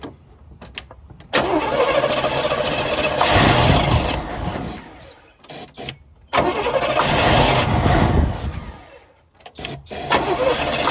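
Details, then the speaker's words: 1971 Chevelle Malibu small-block V8 after sitting 20+ years, first running on gas through its fuel pump from a jerry can: uneven bursts that dip and stall; possible miss, or owner suspects a blown muffler on one side. "running on gas finally oh missing or is it just like maybe a little bit"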